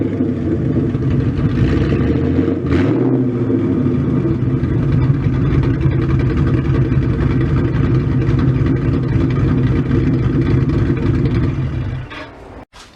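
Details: Freshly built 302 stroker Ford Mustang V8 at its first start, warmed up, given a quick throttle blip but not revved high, still in break-in with about 400 miles left and untuned. Lumpy burble climbs cleanly and drops straight back: healthy free revs.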